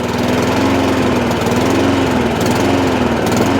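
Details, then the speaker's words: Honda IZY lawnmower after carburetor work for a fuel leak, now starting on choke: pitch wavers and sags every second or so, hunting instead of holding steady; owner knows it's fuel, carburetor needs cleaning again. "it's making a very funny noise like this so a bit more carburetor work involved but I can do it at my leisure at least now the machine now does start um it doesn't run properly"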